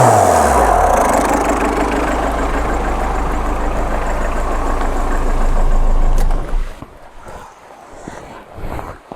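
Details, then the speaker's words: 2002 Tata Indica diesel with mechanical engine, originally non-turbo, fitted with a second-hand Indigo turbo: steady, even diesel clatter with a low, smooth beat for six seconds before shutting off, no misses or knocks; normal healthy idle. "ഞാൻ engine of ചെയ്തിട്ട് പറഞ്ഞുതരാം. Starting ആണ് വണ്ടി പവറാണ്."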